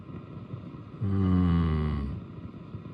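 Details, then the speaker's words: Marshall DSL5CR 5-watt valve amp, volumes at zero, nothing plugged in, warming up just after new JJ 12BH7A power tube installed: deep wavering rumble swells then fades, still quite loud — rumble persists, cause not found. "There it comes, warming up. Oh, it's still quite loud."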